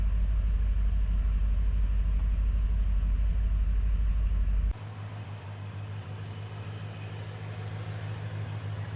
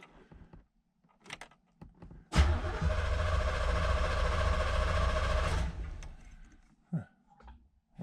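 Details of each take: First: 1986 Chevrolet Corvette C4 Z51 V8, stored over 20 years, after idling about 5 minutes: low, even V8 burble with steady pulse, no misses or knocks; idle has smoothed out and sounds better. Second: 1986 Chevrolet Z51, low mileage, first start after more than 20 years in storage. About three seconds of steady, even cranking at normal speed, but the engine never fires. It only cranks with the clutch pressed.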